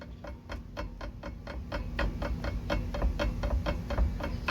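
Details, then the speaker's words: 1974 Ford F-250 Ranger SuperCab, 4.9 L 300 I6: sharp regular clicking clunks over low engine rumble when rolling to a stop out of gear; first suspected transmission, actually the worn driveshaft slip spline, not the U-joints. "there's that noise it's coming from the spline which is you know as you can clearly tell been greased all of its life"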